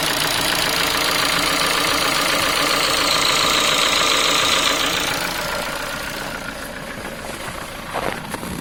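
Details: Ford Focus 3 1.6 125 hp: sharp even ticking, three to four a second, over idle, fading as engine winds down, louder when cold; worn piston pin from poor-quality parts, can appear within 10,000 km.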